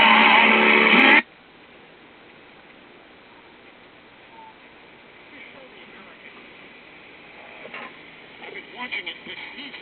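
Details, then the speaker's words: 1967 Magnavox AM radio after capacitor replacement, volume wide open: short loud burst then faint hiss with station barely audible; reception very weak, worse than before the capacitor swap, owner suspects front-end problem. "very weak on the other station so what happened we had reception before we replaced the capacitor so why don't we have reception now okay this sounds like a front end problem"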